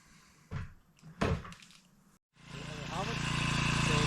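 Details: 4hp Hangkai outboard in a test bucket after fitting a fuel shut-off; settles into a steady, even putter, sounding healthy.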